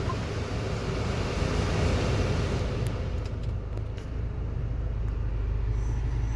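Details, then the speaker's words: Haval H6 2026 2.0T 4WD started after service (oil, oil filter and air filter changed). The customer complained of a whistle-like noise at morning cold start. A low, even rumble settles into a quiet steady idle with no knocks, ticks or whine. Normal startup and idle. "इसको हम start करते हैं। ये इसका startup है हैवल H6 2.0 all wheel"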